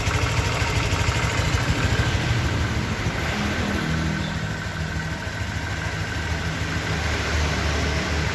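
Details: 2023 Honda Vario 125 new scooter at just over 1,000 km, idling: steady, even low hum, no knocks or misses, smooth settled idle; owner reckons it runs smoother than at 500 km, crediting correct break-in. Normal idle.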